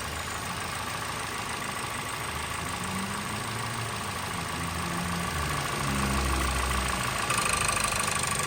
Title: COROLLA XEI 2023 com barulho estranho no motor , 11 de novembro de 2024